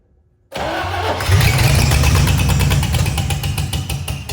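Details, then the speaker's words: C65 dump truck unused about 10 years, first start of its swapped-in engine. It cranks, catches and settles into an uneven, lumpy, surging idle; owner suspects oil in the cylinders from sitting. Rough running after long storage, needs a tune-up. "It'll need a tune-up. Okay. But well, it runs."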